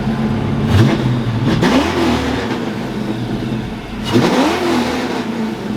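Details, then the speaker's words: Fox-body Mustang V8: two clean throttle blips, revs climb and fall smoothly with an even beat; all eight cylinders firing, fixed. "fixed it oh good holy crap that thing is spicy heck yeah"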